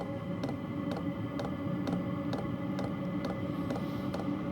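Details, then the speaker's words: Cheap eBay diesel heater on the bench during first startup test: crisp fuel pump ticks about twice a second over steady fan hum, speeding up as ignition catches and diesel burns; normal fuel pump ticking during startup. "it's starting to pick up pace now with a fuel pump he's getting a little bit quicker he senses that it's burning the oil we've got ignition well burning the diesel site heavy oil and it's starting to pick up and he's clicking a bit faster and a bit faster and a bit faster and any second now it will really start to go"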